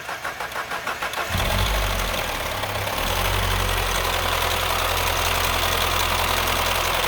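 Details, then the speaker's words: Mini Cooper gasoline engine with variable valve timing solenoids: about a second of cranking, catches, then idles with a harsh diesel-like clatter; stethoscope at the front confirms a stretched timing chain slapping around. "we're going to start this thing up right now and you're going to hear that it sounds more like a diesel"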